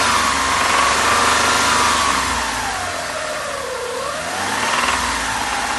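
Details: Hyundai Terracan 3.5 knocking at 2000–3000 rpm, revving up and down with a regular knock of about four per second; the knock disappears when gas supply to cylinder 4 is clamped. Suspected sticking lifter, bearing, wrist pin or piston; cause unconfirmed.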